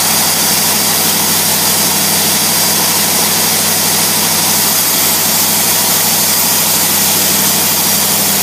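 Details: Carbureted engine, fuel pressure about 3–4 lb, choke off, vacuum port capped (zero vacuum for brake booster): steady, even idle with smooth, consistent hiss and hum, no misses, knocks or hunting; running right.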